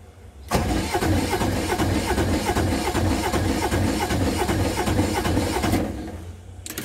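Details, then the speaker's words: Aixam Mega Multitruck diesel microcar van, glow plugs preheated, brand-new Fulmen battery just fitted and oil changed: strong, even starter cranking for about five seconds, but the engine never catches. It cranks fine but won't start first time. "unfortunately it's not starting first time so that's something that's worrying me a little bit"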